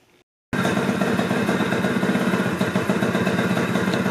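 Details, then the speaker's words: 1988 Honda Elite scooter, wrecked and broken down, after a quick fix: small two-stroke catches after a silent gap and settles into a busy, slightly uneven putter running on its own, wanting to die; owner thinks idle is set too low. "right that fixed it it's wanting to die right now I've got the idle I think settle all too low"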